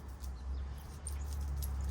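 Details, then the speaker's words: 2021 KTM 390 Adventure, worn old O-ring chain removed and flexed by hand: faint high short squeaks each flex over a low hum; dry unlubricated rubber O-rings squeaking. "Hear the squeak there? Those are the dry rubber O-rings actually squeaking in pain. They say you don't need to lube an O-ring chain, but that's garbage."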